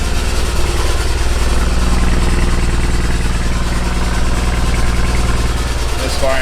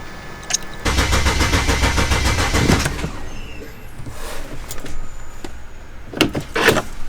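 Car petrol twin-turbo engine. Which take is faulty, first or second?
first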